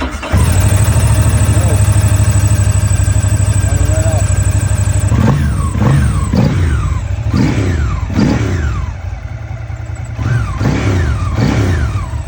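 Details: 2006 Ducati ST3: catches promptly, settles to steady idle, sharp throttle blips rise and fall cleanly; normal start and revving.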